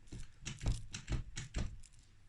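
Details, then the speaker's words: Yamaha DT125R engine on the bench after a worn selector fork was replaced: crisp, separate clicks and soft clunks as it shifts cleanly through neutral and the six gears, with no grinding; normal gear selection. "you've got to spin this oh that's first second third fourth fifth sixth"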